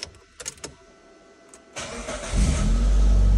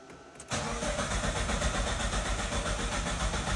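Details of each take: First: Mitsubishi Lancer 9 after Euro 2 chip tuning, failing to start at first because the immobilizer had originally been disabled: brief crank, then the engine fires cleanly to a steady, even idle with no warning lights; starts normally. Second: Mitsubishi Lancer 9 after an ECU reflash to Euro 2 emissions: the starter churns steadily with no firing. The car's immobilizer was originally disabled, and the new software expected it, so the engine won't start.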